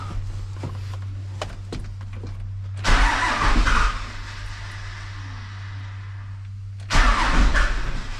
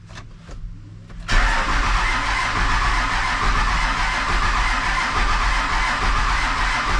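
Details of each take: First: Truck with a newly fitted 4-link air suspension at first fire-up, with the fuel system unbled and a faint fuel pump at key-on: two roughly one-second bursts of cranking with a low hum between, engine not catching. Slow start, cause uncertain. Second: Diesel truck after new fuel pump and sending unit fitted, started without bleeding the fuel system: brief cranking, then it catches at once and settles into a steady, even clatter; clean start and idle.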